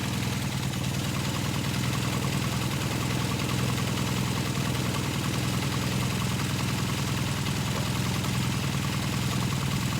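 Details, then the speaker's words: 1978 Kawasaki KZ400 first fire-up after exhaust and carburetor install: steady, even low burble at idle with no knocks or misses. A healthy small twin idling normally. "It's actually got a nice little sound to it."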